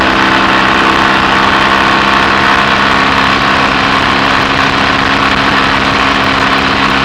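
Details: BSA A65 Thunderbolt twin with Boyer ignition on a test ride, after closing the spark plug gaps to cure an occasional misfire under load: loud, even drone holding steady under load with no popping or cutting out; normal running under load.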